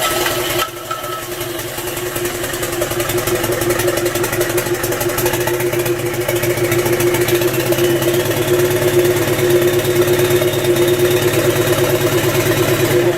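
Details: Land Rover 300Tdi diesel fitted to a Ferguson TE20 tractor, 24 V starter and 12 V fuel solenoid, first firing. Even, steady diesel knock at fast idle, no misses or stumbles; engine running properly.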